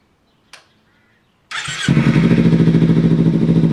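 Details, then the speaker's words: Small motorcycle with about 3,300 miles, freshly bought: starter catches and it settles into an even, loud, throaty idle with steady pulses; runs healthy, loud only because the exhaust has little baffling. "here's a closer look at the exhaust it's not really much baffling in there this little thing is loud"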